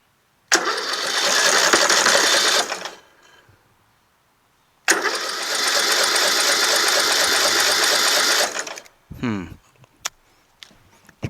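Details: Rebuilt tractor with freshly installed engine, magneto, carburetor and fuel system, on choke with starting fluid: two long bursts of starter cranking with only faint uneven puffs, engine turns freely but won't fire and run.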